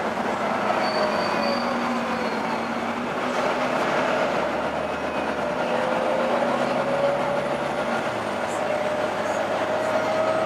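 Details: Arriva Yorkshire Volvo B9TL East Lancs Olympus bus (YJ57 BEO), route 202 Leeds–Huddersfield, driving: steady high howl over heavy road and body rumble, constant pitch; cause unclear.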